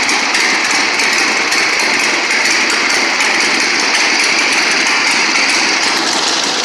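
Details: 1960 Harley-Davidson Sportster Ironhead, unused since 2010, running after magneto points/condenser check, carb service, fresh gas, timing and points set: loud, raspy V-twin idle with steady loping beat, no misses or metallic knocks; normal idle.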